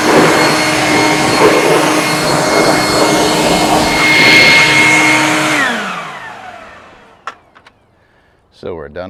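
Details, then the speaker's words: Off-brand two-speed leaf blower, second unit bought after the first failed, outdoors behind the workshop at full speed: strong steady high-pitched air rush with clear whine, winding down smoothly at switch-off; normal running at full speed. "here we are out behind the workshop gives me an opportunity to see if this new microphone can handle this wind and the whirling of the blower so we've got two speeds"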